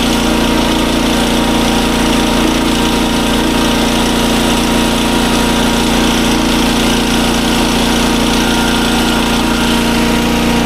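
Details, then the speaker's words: SDMO 5000W generator, 296 cc engine, freshly refueled: steady, even engine drone with constant pitch, no misses, knocks or surging; putting out good voltage, a little high at 140, and handled a 1000 W heater load. Normal running. "Okay. Now, as you can hear, the generator runs super well. It's putting out good voltage."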